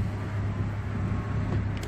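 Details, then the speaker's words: Car idling with a low steady rumble and slightly ragged, puffing edge; owner says the exhaust is broken, an exhaust leak. "that noise my exhaust is broken and it's irritating to me"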